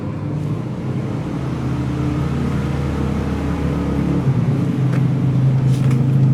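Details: Fuel-injected scooter that won't hold idle and won't rev, cover off while the throttle body sensor is cleaned with carb cleaner: low uneven putter that hunts and wavers, barely idling; cause suspected, not confirmed.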